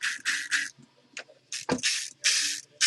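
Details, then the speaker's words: Echo1 TROY airsoft gearbox, three gears plus anti-reversal latch installed, turned by hand: short bursts of quick, dry ratcheting clicks, spinning only backwards the correct way; anti-reversal latch working normally. "You hear that clicking? That's the reversal latch. So I can't spin it forward, I can only spin it backwards the correct way."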